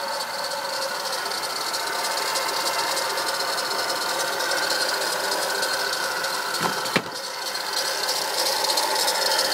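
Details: Acura TL at idle with a fast, uneven rattling tick, roughly three a second, that has started lately; owner suspects a bad alternator, unconfirmed.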